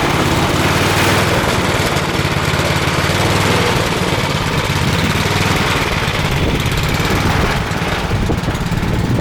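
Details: Craftsman snow blower (customer's) after cleaning and reassembly with a replaced seat: loud, steady small-engine chatter holds an even speed with no misses or hunting; the engine runs smoothly.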